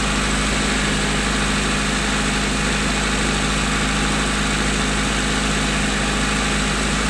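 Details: 1992 Honda Accord after cleaning the idle air control valve with carb cleaner, warming up: even, steady idle with smooth low rumble, high but consistent, no hunting or surging.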